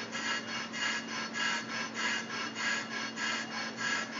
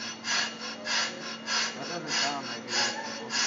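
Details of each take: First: Brake rotor being turned on a brake lathe, slow finishing cut, no noise suppression fitted: even, flat cutting hiss with steady hum and soft swish each turn, no chatter or squeal; normal smooth cut. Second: Brake rotor turned on a brake lathe, rough cut run out by hand: harsh scraping that swells and fades about 98 times a minute as the cutter bites the high spots; badly worn, uneven rotor.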